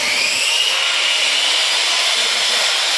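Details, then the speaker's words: Two saws, a circular saw and a yellow saw, running together off a solar off-grid battery bank; steady high whir, no bogging or stutter; both motors healthy. "Both of them are running fine. Piece of cake. See that? This system can do it."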